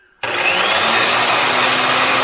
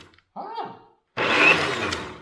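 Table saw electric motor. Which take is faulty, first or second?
first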